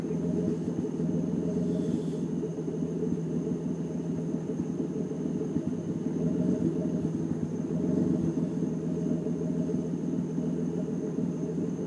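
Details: BMW E36 petrol engine idling: low, lumpy rumble that wavers rather than running smooth and even; rough idle.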